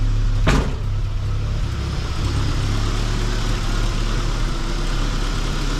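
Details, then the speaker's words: Geo Tracker on first start after an engine and transmission install: brief clunk, fuel pump running, then a steady, even idle with no misses. Timing about 8° BTDC; healthy idle. "fuel pump's running that's good oo she's idling too maybe the timing's good"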